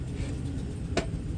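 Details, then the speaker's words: 2007 Chevy Silverado Classic idling with brake held: a single sharp pop over the low rumble when shifted into reverse or drive, from a worn driveshaft U-joint, later replaced. "So when you put your truck in reverse or drive, does it make this noise?"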